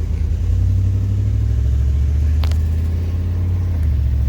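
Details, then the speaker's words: 1996 Suburban C1500 with 4L60E, previously in limp mode, after replacing the solenoids, pressure plate and wiring harness, driving: steady low rumble, and the gear change goes through without flare, slip or clunk. Normal upshift. "shift shift sweet take a right left turn up here but she's shifting she's working"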